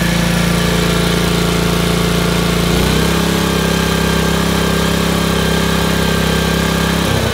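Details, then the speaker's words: Honda HRC216 commercial gas lawnmower, governor shaft rotated clockwise to raise too-low rpm: strong, steady single-cylinder drone dipping briefly under load then holding even; full governed speed, about 3100 rpm with blade engaged. "it will pack the bag now like crazy it's getting the full RPMs that it should"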